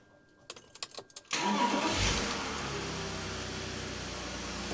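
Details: BMW E46 330Ci M54B30 first start after oil pump upgrade and new rod bearings, no belt or accessories so no water pump drive; quick crank catches at once, settling into a steady, even idle with no knocking.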